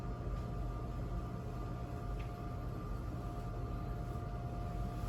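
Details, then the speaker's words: Power Mac G4 MDD rescued from recycling, booting Mac OS on its original hard drive: steady low hum with a couple of constant whining tones as the drive spins loudly; a noisy hard drive, cause unknown. "Well, it's booting up to Mac OS, and I do hear that hard drive spinning away and making all sorts of noise."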